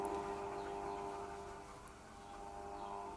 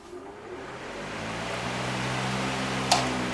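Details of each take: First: Mains fan run at reduced speed through a cheap triac speed controller: steady harsh electrical buzz as the triac chops the supply into square waves, disappearing at full power when the triac is out of circuit. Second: Electric fan on a Banggood triac speed controller set to full power: a smooth motor hum and an even whoosh of air with no buzzing, before the speed is turned down.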